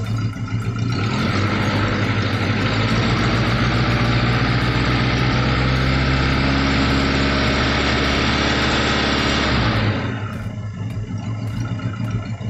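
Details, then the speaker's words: Daihatsu Taruna after a top overhaul for oil burning with white smoke. It first ran rough because one valve was set too tight, losing compression; once that was corrected it revs smoothly and settles to an even idle without stumbling, and the smoke is clean. "dan kau ini kondisi sudah tidak bincang-bincang hai hai Hai jadi penyebab pincang tadi berasal dari sini tempat yang ada satu flatnya terlalu rapat ya Sehingga kompresi Hilang"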